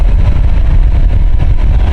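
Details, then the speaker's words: Nissan X-Trail with fluctuating temperature gauge, cooling fans run via scan-tool actuation test: loud, steady fan roar with a rough rumbling edge; only one fan working and noisy; other fan possibly an electrical fault. "It looks like we've only got 1 fan that's working. So this may still be an electrical fault, I don't know. But we seem to have 1 fan that's quite noisy."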